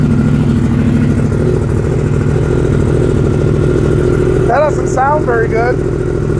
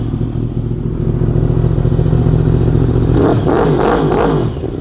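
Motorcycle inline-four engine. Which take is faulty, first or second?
first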